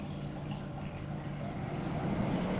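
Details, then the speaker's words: Kia radiator cooling fan actuator-tested via Kia GDS VCI scanner, ignition on with engine off, 5-second low-speed run; steady low whir and airy rush that builds slightly and holds without rattle, fan working normally. "itu ini adalah kipas radiator ya bunyi dengan durasi 5 second untuk low Speed"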